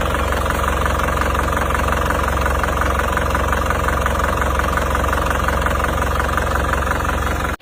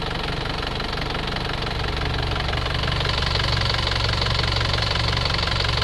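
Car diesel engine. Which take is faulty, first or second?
first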